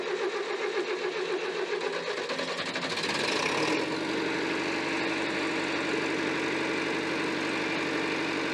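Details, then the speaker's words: David Brown 990 diesel tractor started after Group 3 hydraulic adjustments with fuel cutoff valve opened: cranks a few seconds, catches and settles straight into a steady, even, healthy idle. "love that sound such a unique sound for a tractor love it"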